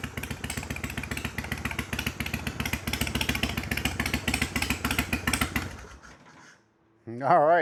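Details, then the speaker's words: 1993 Harley-Davidson FXDWG Evo V-twin after carburetor adjustments, warming up: steady, even lope of about three to four pulses a second, no popping or stumbling, then a clean shutdown; sounds good. "Well, that sounded pretty good to me."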